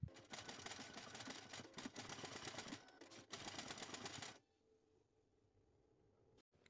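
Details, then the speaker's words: Canon TS3140 printer takes no paper when sent to print and loudly clatters its feed rollers for about four seconds, then stops with error E02; the paper feed gearbox is at fault. "Выходит в режим готовности, но при отправке на печать бумагу не берёт, а громко стучит роликами, после выпадает в ошибку."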